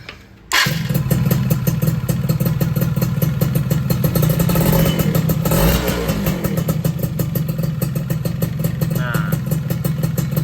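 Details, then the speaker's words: Yamaha F1ZR two-stroke during major service and porting, run with the clutch cover off: starts and idles steadily with a crisp even beat and no noise from the connecting rod, so any later odd noise would come from the clutch or primary. "Kondisi kayak gini berarti mesinnya udah bener adem ya, bagian stang seher nggak ada suara-suara yang aneh-aneh."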